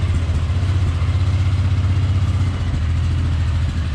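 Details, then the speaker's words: 1999 Polaris Sportsman 500 ATV, cold, after fuel pump replacement and reassembly: steady, even low thump at idle, no misses, knocks or hunting; cold-blooded but starts and runs good; normal idle. "now she cold blooded but starts and runs good yeah sounds pretty good"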